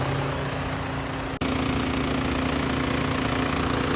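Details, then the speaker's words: BMW F82 M4 radiator fan that had vibrated for two years and badly since a recent track day, with the AC blowing only hot air. Steady droning hum with a rough low pulsing buzz; an out-of-balance fan with a broken blade rubbing the shroud. Fan was replaced. "So, I need to get my radiator fan fixed. It's been vibrating like crazy. It's been vibrating for the last 2 years"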